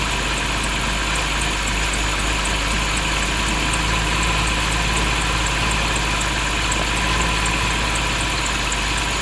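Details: BMW 530i at idle; faint, high chirp repeating about three to four times a second over the engine hum, squeaking noise of unknown source.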